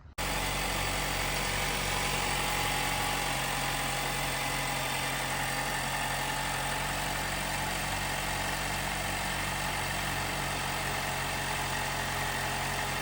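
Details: 2018 Jeep Wrangler JL, 2.0L turbo, after replacing the timing chain tensioner to cure a rattle on cold startup: steady, even idle hum with no chain rattle or ticking, engine now quiet and healthy.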